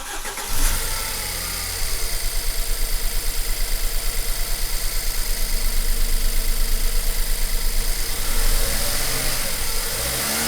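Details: BMW 1 Series N43 engine, restart after DIY bottom-end rebuild for spun bearings and low oil pressure; starter catches and settles to a steady fast idle near 2000 rpm for a five-minute run, even pulse, no knocks or ticks.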